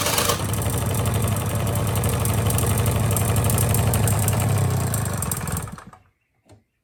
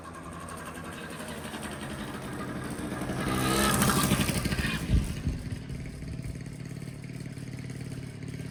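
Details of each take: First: 1985 Honda Spree two-stroke scooter, carb rebuilt, idle okay but no power: at full throttle a flat, low drone holds one pitch instead of climbing, then dies away; bogging from carbon-plugged muffler. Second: 1985 Honda Spree two-stroke scooter, after burning the carbon out of a plugged muffler that made it bog with no power: idles crisply, revs cleanly to a buzzing peak and drops back to steady idle, no stumbling.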